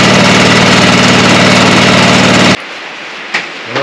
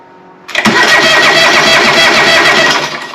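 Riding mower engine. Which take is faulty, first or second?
second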